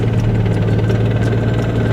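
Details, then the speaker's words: Petrol car with very short gear ratios: deep, rapid, rough chuffing clatter at idle, tractor-like. "also lovely clunking noises this car sounds like a tractor at idle"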